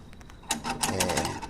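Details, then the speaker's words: Gate opener arm makes rapid dry clattering as it moves, from play between the pin and the arm; fix is removing pin and arm and wrapping electrical tape to fill the gap. "geralmente a máquina fica barulhenta, porque o braço fica fazendo muito barulho, ó, né? Ó, entre o pino e o braço."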